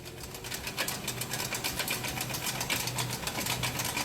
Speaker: Customer states, "My 2001 Nissan Frontier sounds crunchy when you put it in four-wheel drive."